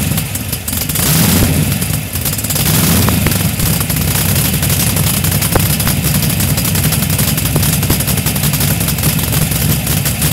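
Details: Datsun 240Z with an LS1 V8 swap: loud, deep idle with uneven, lumpy pulses and slight rev wander. Rough idle, cause not identified.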